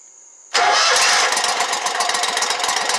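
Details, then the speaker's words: Exmark Lazer Z 72-inch commercial mower after fixing a no-start, fuel refilling the carburetor: quiet, then the engine catches and settles into an even, buzzy run; normal engine start. "like i said it's going to take a minute for it to get gas in there"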